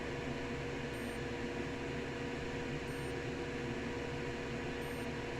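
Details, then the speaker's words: Epson 1390-based UV printer with white casing: at power-on the Epson side does nothing, while short high beeps repeat every couple of seconds over steady fan hiss, signalling a burned motherboard. "like a couple of seconds between the sound that is making and it's making that sound when you burn the motherboard"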